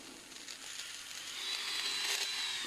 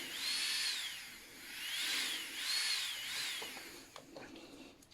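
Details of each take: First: Strong 120II manicure/pedicure drill handpiece running with a high, rough whine and gritty rattle; bearings badly worn and clogged with dust, carbon brushes worn away, needs repair. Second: Strong 120II manicure handpiece after repair (new original brushes and bearings, dust removed): a clean, high-pitched whine sweeps up and down with speed, with no rattle or grinding.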